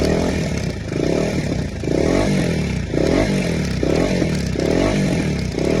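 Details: Duke 250 BS6 engine: rough metallic clatter swells each time the engine is blipped, about once a second, louder with revs; abnormal engine rattle, source unclear.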